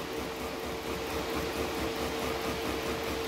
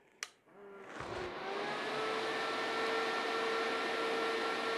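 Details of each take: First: Diaphragm pump in a DIY TIG welding water cooler, with an air accumulator added to damp pressure pulses: a steady hum pulsing unevenly about twice a second as the pump strains and surges. It still stutters. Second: Diaphragm pump in a DIY TIG welding water cooler, first switch-on through a jumper hose: a click, then a steady mid-pitched hum over rushing coolant, with the pump running and flowing normally.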